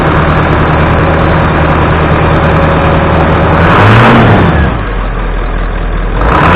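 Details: 1996 Ford F250 7.3 Powerstroke diesel, warming up after a cold 30°F start following 2.5 years sitting, before an oil change; deep steady idle clatter with a brief rev blip midway, smooth, healthy.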